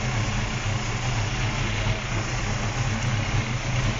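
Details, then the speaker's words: 1977 Holden Torana A9X-style V8 with an aggressive cam; straight-out side exhausts are planned later. It gives a low loping idle with an uneven chop, sits shaking, no knocking or ticking; healthy lumpy cam idle. "Sits there shaking away, and as my mate says, she's a bit of a banger."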